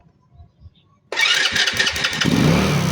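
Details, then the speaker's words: Motorcycle with plug cap removed and high tension wire held gapped from the spark plug goes from quiet to a sudden catch into a rough, uneven run; spark plug suspected. "Nagba-backfire ngayon ah linayo lang natin sa spark plug. Umandar siya."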